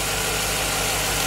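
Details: 2007 Chevy Tahoe 5.3L V8, first run after engine replacement, parking brake on; smooth, even idle with a regular soft pulse, no ticks or knocks, no leaks or warning lights; normal idle.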